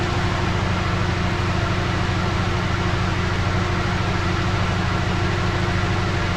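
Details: 2009 Lincoln MKZ AWD, thought to be the 3.7 non-turbo, with codes P0201 and P0204 (injector faults, cylinders 1 and 4) plus misfire; customer reported cylinder 4. Low, uneven loping idle with stumbles about twice a second.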